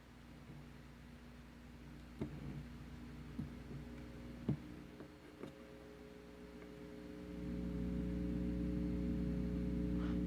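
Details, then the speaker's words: 300B single-ended tube amplifier with modified circuit: steady low buzzing hum that gets louder when volume is turned up, loud enough to disturb music; volume control also noisy. "이정도면 솔직히 상당히 큰 험이구요 음악을 들을 때도 방해가 되는 상태입니다."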